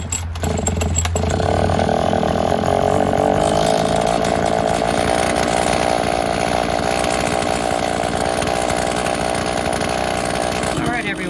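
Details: Viza Viper gas scooter right after pull-starting with a newly installed recoil starter pull handle: small single buzzes at a steady high pitch holding an even note; runs normally.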